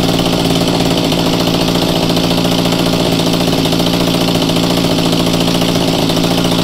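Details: Mantis two-stroke tiller with a new replacement carburetor, on choke: steady but slightly blubbery, uneven fast idle with heavy muffler smoke; rich mixture before carb adjustment.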